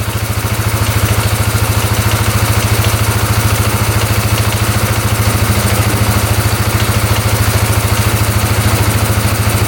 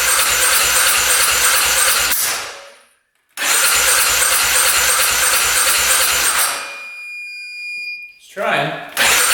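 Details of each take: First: 2010 Polaris Sportsman 550 EFI ATV, not run for years, now running after a line was cut off: steady even idle, low thump about two per second, no knocks, misses or smoke; sounds healthy. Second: 2010 Polaris Sportsman 550 EFI ATV, unrun for years, after cutting a clogged crankcase breather line: starter cranks in quick even pulses but engine never catches; nearly fires, cranks without starting.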